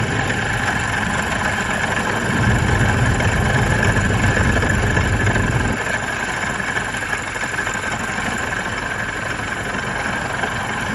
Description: There is a terrible noise under the hood. The sound of a bad idler pulley.